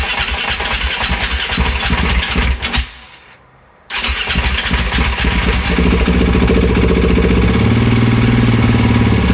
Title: 2020 KTM 690 hard start